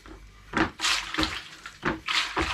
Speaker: as you can see here there's plenty of suction in there